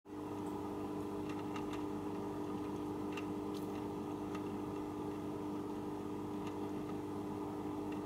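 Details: JBL E1901: steady pump hum with sharp, irregular ticks roughly one a second breaking through it; abnormal ticking noise, cause not given.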